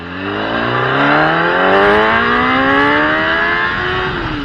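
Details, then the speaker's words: Gen 1 Kawasaki ZX10R after replacing the fuel pump and fuel filter sock: revs rise cleanly without stumbling or cutting out, with strong pull all the way up. The earlier power cut was the sock or the pump. Normal acceleration. "right, so there you guys have it. As you just saw, the problem was either the fuel sock or the fuel pump itself."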